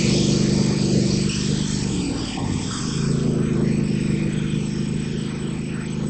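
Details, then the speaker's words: Craftsman GT5000 Kohler Command Pro V-twin after repair of a sticking intake valve and bent pushrod: catches and settles into an even, steady beat with a brief dip, runs smoothly and healthy; normal running. "Okay, looks like it runs good. Looks like our work came out good."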